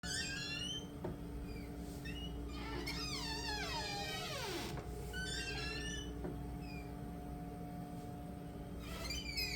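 A door hinge squeals in high, wavering chirps and one long falling creak as the door swings.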